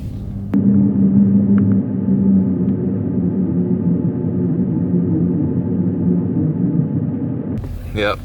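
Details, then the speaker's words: 2015 Dodge Challenger SRT 392, 30k miles, original 3.09 rear differential: low steady groan and rumble through a slow tight turn with no throttle; worn limited-slip clutch packs blamed. "there it is so hopefully you guys picked that up in one of these microphones so there's apparently supposed to be clutches in the limited slip differential and that's what's making that noise"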